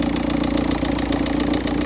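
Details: Volkswagen Touran 1.9 TDI on a cold first-morning start, engine temperature 13.2 with thick cold oil: a sharp, heavy diesel knock repeating about seven times a second at idle. A real engine knock, cause still unknown.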